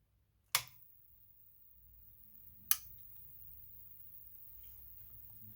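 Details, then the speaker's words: Fujitsu air conditioner control board with compressor rotation error E0094, bench-powered through series bulbs: two sharp clicks about two seconds apart as the relay pulls in normally at power-up. "你听到了继电器的咔哒声，"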